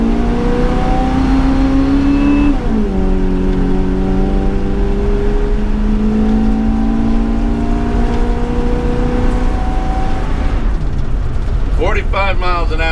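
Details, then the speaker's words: RV with 460 engine after new adjustable fuel pressure regulator and O2 sensor, full-throttle acceleration from 15 mph: pulls hard, pitch climbing smoothly through a gear change, no hesitation, backfiring or jerking; engine running well. "right to the floor no hesitation no backfiring no jerking that engine is running good"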